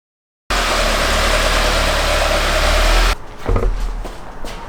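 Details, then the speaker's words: 2017 Subaru WRX turbo engine in a car rebuilt after a wreck, idling after coolant filled and circulated: even, settled idle with smooth low hum, rpm dropped from high, no misses or hunting; healthy. "You could hear the pitch of the engine slowing down, not running at such high RPMs. So it sounds good and healthy now."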